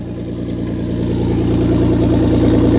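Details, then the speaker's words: 1998 Audi A4 2.8 quattro manual, cold engine at idle: loud, sharp puffing tick about three per second, growing slightly louder, mostly from the front of the engine; exhaust leak, with the catalytic converter hanging near the ground. "Most of the sound is coming from the front of the engine. Very loud."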